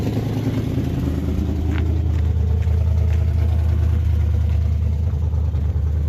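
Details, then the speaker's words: 1968 Impala with 327 300 hp V8 and Turbo 400, unused about 40 years, started on poured-in gas after only cleaning the points: deep, steady, even V8 burble with no knocks or misses; normal idle. "all I did was clean the points off and left everything else alone and it's just sitting here idling and we just ran out of gas"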